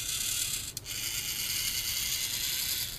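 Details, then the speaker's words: VEX 393 High Strength motor with internal metal gears, turned by hand: a smooth, even, high-pitched whir of meshing gears with no clicking or skipping, so the gear train is healthy. "kind of hear the motor train in there and that's a good thing"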